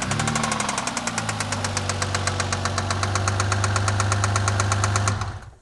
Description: My 2000 Mercury Cougar with an unknown knocking sound... The knocking speeds up when given gas.